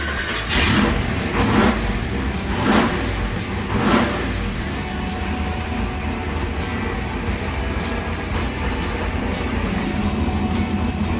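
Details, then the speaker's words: Chevrolet Monte Carlo big block on ATM E85 Dominator carburetor with 2-inch spacer, first start after build before turbo kit: pulls smoothly through revs, no smoke, good oil pressure, no rattles, knocks or vibration; runs healthy. "Sounds pretty good. It does. No smoke. No smoke. Good oil pressure. No rattles, no knocks. Nice smooth acceleration. Very smooth."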